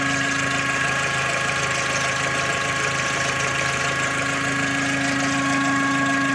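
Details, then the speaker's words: Skoda Octavia Tour / Golf IV petrol engine (AKL/AEH) idling with a steady hum and thin one-pitch whistle that vanishes with throttle and returns; possible cause a deformed crankcase ventilation hose. "Причём с повышением оборотов он не увеличивается. То есть он либо есть, либо если нажать на газ, то он пропадает. А потом появляется снова."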